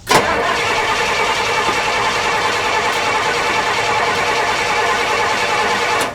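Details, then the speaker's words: 1968 Pontiac LeMans that sat 23 years, newly fitted with an HEI distributor after the old one stuck: it backfired earlier, choke now up, cranks steadily about six seconds without catching; suspected too much fuel, flooded; cranks but won't start. "it's like it needs more gas yeah it might it might have too much gas too in there"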